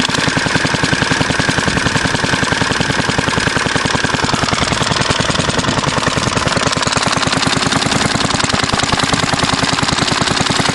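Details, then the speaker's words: Circa-1938 Fairbanks Morse Z style D single-cylinder engine, not yet warmed up and running a little fast: loud sharp exhaust beats about 200 a minute with uneven rhythm and skipped beats; engine misfiring. "still not running right you can hear it misfiring"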